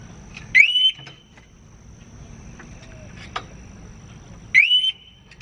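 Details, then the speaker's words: Harley-Davidson Smart Siren 2 newly installed on a 2018 Harley Ultra Limited, fuse refitted, bike moved to test; two short rising chirp bursts about four seconds apart over quiet background; alarm siren triggered by movement. "Let's check and see if this thing works. Okay, let's see what happens when we go to move this thing."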